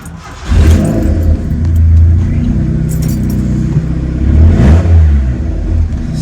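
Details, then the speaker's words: Start-up right after installing a Walbro 255 fuel pump and catch can (build also has 525cc injectors and a manual boost controller): catches quickly, settles to a smooth idle with clean throttle blips, no leaks; sounds healthy. "awesome love how this thing sounds"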